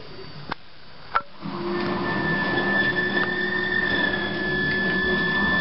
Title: Opvaskemaskine med larm